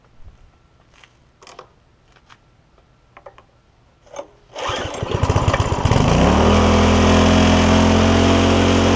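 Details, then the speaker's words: Barn-find tiller, first start with gas in it, pre-filter removed: after rattling it fires, climbs quickly and holds a fast steady drone without settling; throttle stuck open, later freed and it idles. "Throttle's frozen. Let me get the throttle unstuck."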